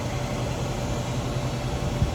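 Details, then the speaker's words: Hayward heat pump pool heater, after its coil tested good at 11.9 ohms, set to 85°F: the fan starts with a steady, even whoosh over a low hum, no rattles or scraping. Normal fan operation. "85 degrees. Let's raise up the temperature. There goes our fan."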